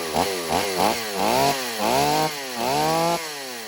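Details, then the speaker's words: Stihl AV 028 Woodboss chainsaw after new fuel line and filter fixed lean bogging, run without its air filter: throttle blips then quick cuts, revving cleanly and holding speed under load; saw running right. "All right, well, that's good news. We've got the saw running right."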